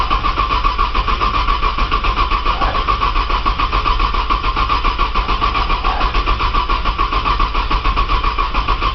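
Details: Cold 1995 Nissan Maxima, 210,000 miles, push-button start, in snow, on jump box, fuel re-primed: starter churns at a steady even rhythm for the whole stretch, engine never catches. Extended crank, no start.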